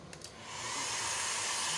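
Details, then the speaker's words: Load test of a 2000 W 48 V low-frequency inverter with LVD and soft start, battery connected: one blower as load, airy rushing hiss spins up then holds steady, reading over 1400 W; normal blower run. "Di sini saya akan bebani dengan menggunakan satu buah blower."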